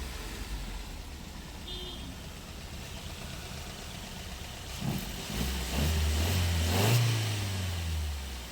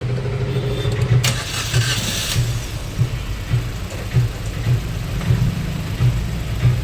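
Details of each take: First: Maruti Suzuki Ertiga petrol engine with aftermarket CNG, after repair of severe misfire (two cylinders dead, no pickup): quiet even idle, brief smooth rev with no stumble or miss; now running on all cylinders, normal idle. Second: Maruti Suzuki Ertiga petrol with aftermarket CNG, at idle: rough, lumpy idle with heavy uneven thumps, severe misfire running on only cylinders 3 and 4 while 1 and 2 are dead; unplugging their ignition coil changes nothing.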